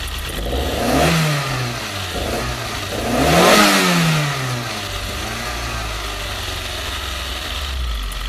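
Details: Toyota 4A-GE 20V blacktop petrol engine, cold to amplify the sound, blips twice then idles with a light, fast ticking from the exhaust header area; ticking disappears at high revs and engine smokes when revved high.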